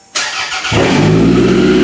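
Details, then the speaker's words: 1992–96 Toyota Camry demolition car on a minimal standalone wiring harness (jumper to computer and fuel pump): a short crank, then it catches cleanly and settles into a steady, even idle with no knocks or misses. "Look at that. That's how easy this car runs with very, very little wiring."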